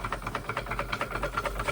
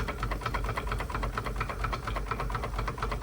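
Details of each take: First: Restored Wilesco D32 small steam engine on its first run, chuffing evenly at about seven beats a second with gurgling and no rattles or knocks; sounds like a normal, healthy engine. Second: Wilesco D32 small steam engine during its first run after restoration: rapid, even chuffing with a wet gurgle, as the chimney fills with steam condensate that should drain down.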